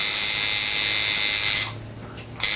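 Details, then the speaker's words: Coil tattoo liner machine after setting contact screw gap to about a dime thickness: steady, fast, even high-pitched buzz, no stumbling or rattle, then stops; normal running, in tune. "There we go. Should be right on time there."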